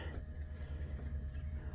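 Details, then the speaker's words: 1988 Oldsmobile Cutlass Calais International, Quad 4, ignition on accessory: low droning motor hum pulsing several times a second with no mast travel; power antenna motor runs but mast doesn't move. "can hear the power antenna thing trying to work, but the antenna doesn't."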